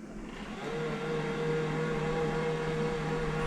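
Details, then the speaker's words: Worn steampunk utility powerchair with deeply discharged 2014-era MK batteries under recovery: the seat lift actuator runs normally with a steady, even low motor hum, and current rises to 6 amps with the lights on, likely including control-system draw. "okay you can see our amperage goes up there while the seat lift is running light are on 6 amps"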